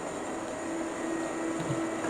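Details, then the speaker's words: Rat rod dually truck with a swapped 460 V8 at warm idle: electric cooling fans kick on for the first time, on schedule at 180, with a steady even rush of air and no rattles or rubbing. Owner is concerned the air-fuel mixture may be incorrect. "Okay, this is the first time I've had the fans kick on. First time we got it idle long enough to get them to kick on. And they kicked on when they're supposed to at 180."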